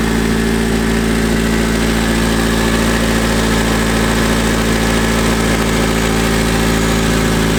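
Steady, even idle with a low regular thrum and no knocks or misses; this engine is running healthy.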